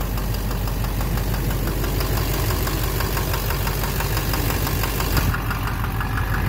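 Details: 2009 Chevrolet Duramax LMM dually with Allison transmission, after a new Suncoast 1800 RPM torque converter was fitted, in gear holding the brake: loud diesel idle with a rough knock about three times a second; injector knock or cracked flexplate suspected.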